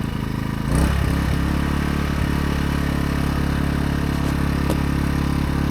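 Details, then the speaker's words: AiVolt 1600 W (1260 W running) gas portable inverter generator, switching eco mode off: engine speed steps up within a second, then holds a smooth, steady, louder hum with no misses or rattles; normal idle with eco off. "Right now, I've got it on um eco mode. You can barely hear it idling. I'm going to turn it off eco mode and it'll be a little louder."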